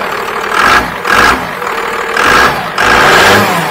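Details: Dodge truck with a 12-valve Cummins diesel, P-pump (inline injection pump) and intercooler: four quick throttle blips rise and drop cleanly with a crisp diesel bark, no knock or miss. Healthy diesel revving.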